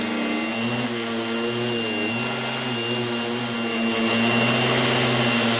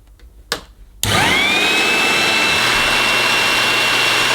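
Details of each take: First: 1980s mains-powered Goblin Roto handheld vacuum cleaner with rotating agitator brush during demonstration: loud, steady high motor whine with a brush hum that dips and recovers slightly; very noisy but healthy, fairly effective. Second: 1980s mains-powered Goblin Roto hand-held vacuum: steady high motor whine with rushing airflow, sounding okay, while a burning smell comes off it. Owner thinks it is the motor, not the belt. Burning smell while running.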